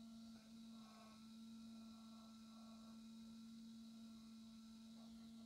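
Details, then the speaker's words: Solis rotation system whose slow motor was replaced with one from a broken cheap drone: the small motor spins fast with a steady high whine near 230 Hz and a buzzy rattle, noisier than the original but much faster. "mais le fait plus de bruit bon c'est pas trop grave l'autre faisait pas bruit tantôt mais tourit bien lentement tour bien vite là"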